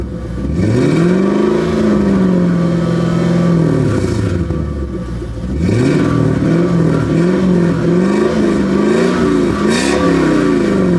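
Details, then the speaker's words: 2001 Lexus LS430 revved in crisp blips, a held rev and quick stabs right after reinstalling an Injen short ram intake (following other mechanical work); clean pull, no rattles, sounds good, normal revving. "Alright guys, so I just finished installing Injen Technologies air intake. It sounds good."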